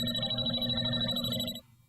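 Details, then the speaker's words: JB Industries LD5000 Prowler refrigerant leak detector swept slowly back and forth over a leak: rapid electronic chirping alarm with a steady high tone, then an abrupt drop to quiet, as it narrows in to pinpoint the refrigerant leak. "There's a leak. Go back the other way, even slower, and you can pinpoint the leak."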